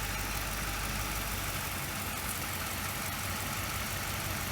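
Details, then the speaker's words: 2008 Mercury Mountaineer 4.6L V8, random misfires and long-term fuel trim over 15 since about 95,000 miles: at idle the engine lugs and a faint hiss is heard when the intake runner pivot is sprayed; vacuum leak fixed by a new intake manifold. "and you can even hear how how it lugs down just spraying that pivot point you can actually hear a little bit of a hissing"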